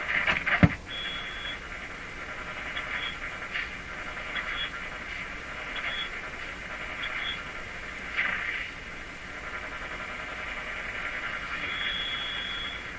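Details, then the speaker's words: Grundig 2030 AM/FM tube radio after freeing the tuning capacitor and fitting the dial string: a hissy station near 860 fades in and out with whistles when tuning; owner thinks the AVC action is causing it, cause uncertain. "foreign signal comes in the AVC takes place it's it's causing such a change in the sound that it's causing this weird weird it sounds like there's a a contact in there I'm sure there isn't"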